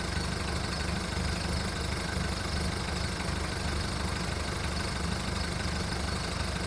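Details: VW Golf Mk1 1.9 TD turbo diesel, cold start after 5 months of winter storage, after hard cranking: heavy, uneven clatter at three to four beats a second with wavering rhythm; rough idle.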